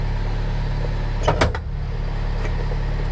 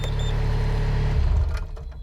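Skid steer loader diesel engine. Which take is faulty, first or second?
second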